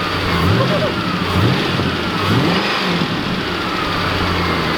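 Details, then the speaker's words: 1997 Ford Mustang GT, 4.6 L two-valve V8, 200k+ miles, after topping up oil it had nearly run out of; engine blips and drops back smoothly, silent, no knock or tap: normal idle and revving. "i'm hoping it's quiet and that will have a good gauge oh it's silent it's silent you know this car wants to live"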